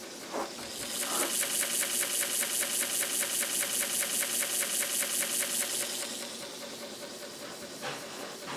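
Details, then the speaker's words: Commodore 1571 floppy drive loading the Flank Speed disc. Quick, even head-stepping chatter over a steady motor hiss; it reaches ready, confirming the heads are good. Normal loading. "now it says ready oh look see now it did get something off the disc so the heads are good"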